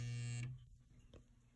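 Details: Home circuit breaker gives a loud harsh electrical buzz, under half a second, when the upstairs electric heat kicks on, still present after the compressor was replaced; owner unsure if electrical or HVAC.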